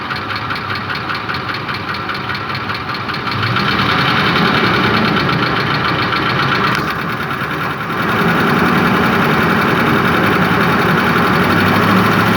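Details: Ford Triton 5.4 3V revved with both cam phaser solenoid connectors unplugged, recorded driver's side: regular ticking knock rising with revs, unchanged by unplugging; knock source still unknown.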